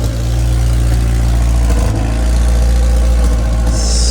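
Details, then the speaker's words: 1989 Honda CRX Si project running after repairs: a deep, lumpy idle with irregular puffs, spits and sputters from an exhaust leak toward the back. The engine first sounded a little misfiry, then smoothed out and runs well. "there's definitely a leak in the exhaust it's causing a spit sputter at the back"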